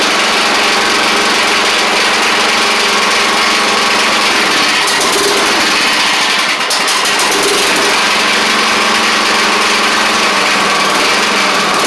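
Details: Craftsman DYT4000 riding mower after sitting about 2.5 years, started with only fresh gas and a little choke: small single-cylinder engine runs steadily at fairly constant speed, no misses or knocks; sounds good. Normal running after long storage.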